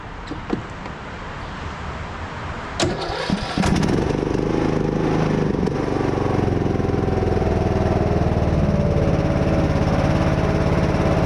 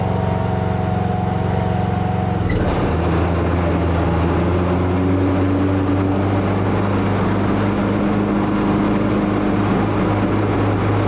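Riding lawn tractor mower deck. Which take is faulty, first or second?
second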